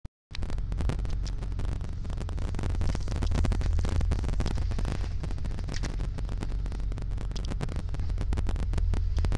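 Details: 1987 BMW 535is petrol engine idling with a deep, uneven rumble that surges slightly up and down, rough idle, then stalls at about 25 seconds.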